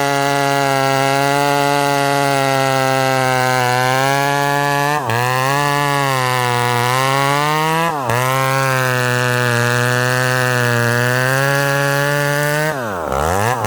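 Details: Ported McCulloch Super Pro 70 (70cc, full house) chainsaw with 32-inch bar cutting hard-to-cut wood: screams at high revs, pitch sags and recovers as the bar digs in. Zippier and revs more than his 850 but lacks pull under load; cause unconfirmed.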